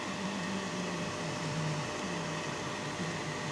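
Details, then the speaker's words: Hazer Unique 2 after repair of failed air pump (error E-8) and poorly flowing vaporizer, air pump running as the doser starts and its feed hose begins twitching; steady airy hum with slightly wavering low pump note, no rattles; normal running. "a teď se rozjede rozjede se i dávkovač až se začne cukat ta hadička přívodní"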